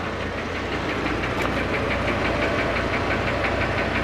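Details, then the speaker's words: Dodge V10 truck at operating temperature, idling in neutral, no load: steady sharp knock-clack tapping about three times a second; cause not yet determined. Finding: engine knock, cause undetermined. "And this truck has been knocking and clacking. Okay, so here it is at operating temperature and uh just sitting here idling in neutral."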